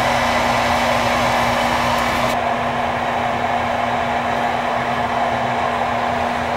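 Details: Whirlpool gas furnace blower running after its weak capacitor (about 17 instead of 20) was replaced, following a not-running and weird-noise complaint: steady, even rush of air over a constant low hum, no rattle, scrape or wobble; normal blower operation.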